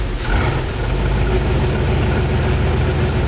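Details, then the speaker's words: 1959 Corvette with a freshly rebuilt Demon carburetor, started with the key and no throttle: engine catches and runs lumpy with uneven low beats, struggling to hold idle; idle mixture screws turned down too low, giving a lean idle. "Well, apparently I turned down the idle adjustment screws too low. Or the idle mixture screws too low. So whatever. But it tried to start, which proves my point."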